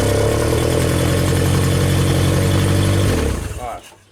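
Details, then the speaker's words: Old Genie boom lift engine runs a steady low drone about three seconds, then the main relay clicks and it abruptly winds down to silence; the relay cuts power to the ignition coil. "actually heard the you can feel the relay like click so it shuts off why does it shut off now"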